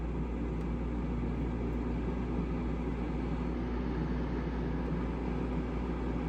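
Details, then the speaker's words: Houghton Belair 2800 rooftop RV air conditioner, 8 months old, run on a 15 amp outside house circuit alone, spiking to 17 amps without tripping: steady even low hum and airflow rush, no knocks or surging; blowing cold. "well sounds like it's on right now it sure is it's running pouring cold"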